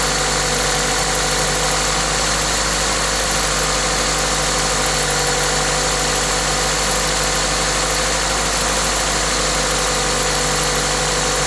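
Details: Toyota 2ZZ-GE engine with an induction kit: steady, even idle with a loud hiss from the induction kit, no knocks, ticks or stumbles; normal idle.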